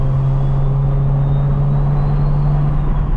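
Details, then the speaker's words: BMW N54 335i on its first drive after a single-turbo swap, engine not fully warm, light load around 5 lb boost: steady low drone with a faint rising turbo whistle; turbo spools cleanly, normal operation. "That's like 5 lb of boost. Are you kidding me? That That sounds better than every turbo I've ever had on 5 lbs of boost."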